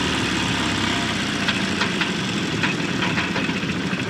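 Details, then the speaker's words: 1989 Volvo GL wagon, non-turbo B230 redblock, driven with zero oil pressure: a hard, fast metallic knocking over the engine, worsening under load. Rod knock from oil starvation, just before engine parts came flying out. "roll down the window so you can hear it getting louder got that oil pressure light on"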